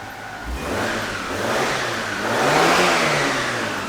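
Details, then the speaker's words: 2003 Hyundai Sonata after muffler repair; it previously had a helicopter-like noise, severe misfire and low power. Two smooth rev sweeps with clean rising pitch and no flutter or chopping; no back-pressure issue, normal engine. "beautiful sounds like a regular car I can already tell there's no back pressure issue yeah this car is fixed"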